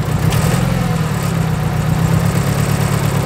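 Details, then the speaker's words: Nissan S13 200SX idling on three cylinders with a huge misfire, during coil-pack pull testing: a low, uneven, lumpy idle as one cylinder drops out; misfire later traced to a faulty injector connector. "if it dies or it runs even worse we know it's not that silver we pull it out it runs the same we know it's that cylinder"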